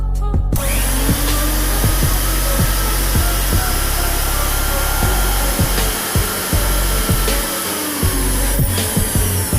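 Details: Mixer grinder running at high speed after a repair for excessive noise, with the bush changed and the coupler refitted: a loud, steady whir at an even pitch with no grinding or rattle; the motor sounds healthy.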